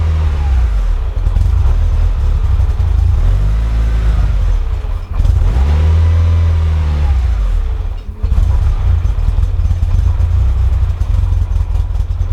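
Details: Mitsubishi EVO first real startup after fuel pump hanger wiring harness work, no air filter fitted, smells very rich: idle climbs and dips on its own with nobody on the throttle; hunting, rough idle, no check engine or oil lights, cause not found.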